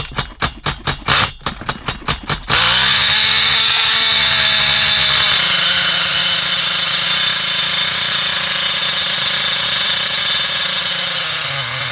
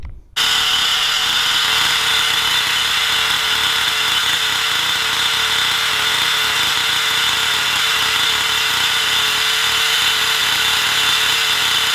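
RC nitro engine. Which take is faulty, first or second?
first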